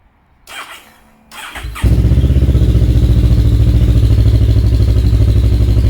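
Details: Kawasaki KLE 650 A7 twin, 30,000 miles, auction bike, in neutral: a few seconds of cranking, then fires and settles into steady even idle thump; starts and runs normally, exhaust very loud without baffle.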